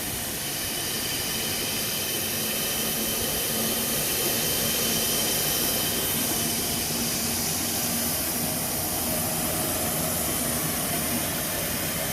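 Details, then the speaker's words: Bryan condensing steam tractor warming up with boiler pressure building toward 200 psi: a steady roaring hiss with a constant high whistle as the burner fires cleanly and normally. "You can hear that burner whistling pretty good."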